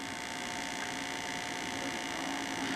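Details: Sony SL-2000 Betamax VCR playback before repair: steady low hum with faint buzz under the tape hiss, unchanging; mains hum on audio playback, muffled sound.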